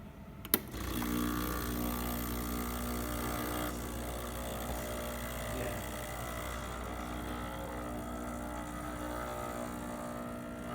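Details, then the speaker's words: Breville Barista espresso machine after replacing a leaking, malfunctioning solenoid valve that had caused buzzing and breaker tripping: steady, even pump hum with no buzzing surges through a single-dose test shot; working normally. "well we did a single-dose so that's why it only came out so low but it's nice to say it is functioning once again"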